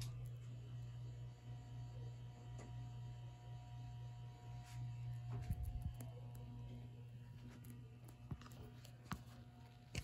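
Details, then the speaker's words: Late-1970s/early-1980s ERS American Art Series ceiling fan turned to a higher speed: a quiet steady hum with a faint electrical buzz; the fan motor sometimes complains at in-between speed settings, cause unclear. "a buzz to it yeah sometimes this fan complains when you try to run it on uh some [Music] random speed like this"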